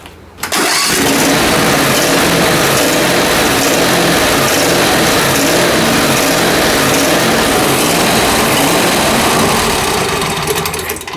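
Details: Zero-turn mower after carburetor dissection, previously surging: long run of rapid, uneven cranking around two turns a second with no clean pickup; cranks but won't run, owner suspects insufficient fuel, cause unresolved.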